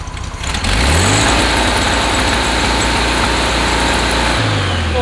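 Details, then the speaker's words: 1969 VW Beetle on wrong-heat-range spark plugs, before plug change: engine chugs unevenly, skipping, coughing and stumbling, won't take full throttle; misfire under throttle. "won't let you go full throttle it's skipping all over the place starting and coughing"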